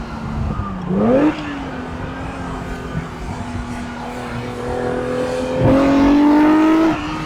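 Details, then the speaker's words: Ferrari 365GTB/4 Daytona Spider V12 on a road test after being fixed, under acceleration; smooth, clean note climbing through the revs and shifting without stumbles or popping, pulling evenly on all cylinders. Normal running. "it looks beautiful and uh it speaks to you standing still this car it says love me admire my beauty then you do this and it takes on a whole different character"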